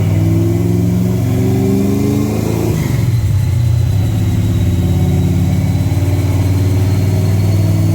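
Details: Holley Sniper EFI car on a dyno during a wide-open-throttle pull, revs climbing then holding steady and even with no misses or knocks; it runs well, though it shows blow-by, burns some oil and has tire slip.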